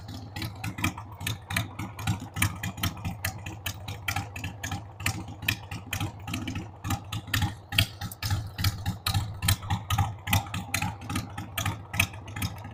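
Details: 1993 Harley-Davidson Sportster 883 Evo V-twin, stored about 15 years, just started on starting fluid with a dead battery: a lumpy, uneven idle whose loudness surges about once a second, with stumbling pulses. The carb needs cleaning.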